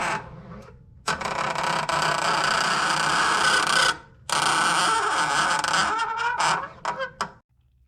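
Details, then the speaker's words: 1994 Chevrolet S10: two long honking groans, each starting and stopping with a clutch pedal press. The noise comes from the clutch slave cylinder, where vibration can be felt. The master cylinder, lines and slave cylinder are to be replaced. "Entonces, en este caso, el ruido no viene de este cilindro maestro, sino que viene del cilindro maestro de abajo, que es el cilindro esclavo. Claramente se puede notar."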